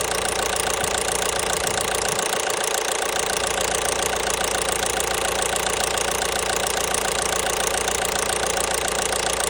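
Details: 1.5 BlueHDi (DV5RC) diesel at idle with sharp metallic knocking at about three and a half per second; clear internal engine knock.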